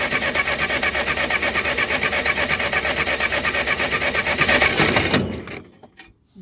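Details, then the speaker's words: Ferguson TO20 tractor sitting three to five years, cranked with fuel on and no choke: steady rhythmic cranking, nearly three beats a second, never fires; faint spark at points, condenser to be replaced next. "it's sparking but I don't know if it's any better than what it was try it again yeah it's all right now we'll try it with the choke just to see what happens all right spark is still faint"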